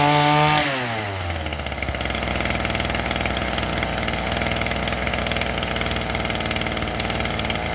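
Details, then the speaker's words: STIHL FS38 two-stroke string trimmer with brand-new carburetor, unrun at least 2 years, high-speed screw set for max RPM; brief high rev drops to steady even idle, regular firing, no stumbles or surging: normal idle. "idling just fine. The high end was a little bit low, but all I did was squeeze the trigger and turn the high end until we got max RPMs out of it. It's idling just fine."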